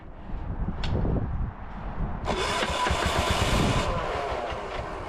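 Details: 418cc Yanmar-clone diesel repowering a Gravely C10A tractor, cold start attempt: starter cranking with uneven chuffs about three a second, then a harsh rush of noise that fades; turns over but won't start, cause unconfirmed.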